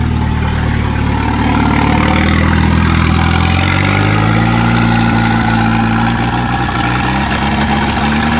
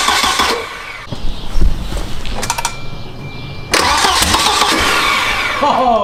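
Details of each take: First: Turbo wagon running on a newly wired Microsquirt standalone harness, ignition timing fixed at 10 degrees, intercooler piping unfinished, just started: loud, steady running with a low even beat, settling after a brief rise in revs. Normal idle. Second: Turbo wagon engine on a new Microsquirt standalone harness with coil driver just installed, first start attempt; starter churns with a few uneven chuffs that never catch; weak firing, cause unconfirmed.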